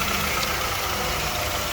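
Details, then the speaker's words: 1998 Honda Odyssey with JDM F23A swap; high idle cured by loosening a tight cruise control cable; steady even idle with light hiss, no surge or hunting; engine settled and healthy. "cruise control cable that was tight. So there we go. She idles good, no problems."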